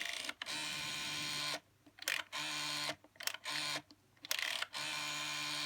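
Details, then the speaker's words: 1984 BT Special Range candlestick telephone, White TSR8005B: a few short whirring bursts with fine, even clicking as the rotary dial spins back, each return smooth and consistent; the dial works normally. "Of course, it is a dial phone, as you can see. It's got a nice sound to it."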